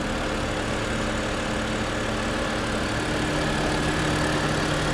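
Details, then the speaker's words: 2007 BMW 328i E90 automatic, 248,000 miles, engine bay; smooth, even idle with steady hum, no ticks, knocks or stumbles; oil filter seeping, transmission shifts perfectly, good running car. Normal idle. "But yeah, I mean, it's a really good running car. The transmission shifts perfectly."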